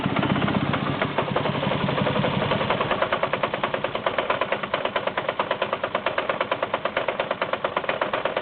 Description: FIX: Replace MAF / 1.8t AWP Hard Start Codes thrown 17535/16556 System too Rich Intermittent, BAD Engine sounds!!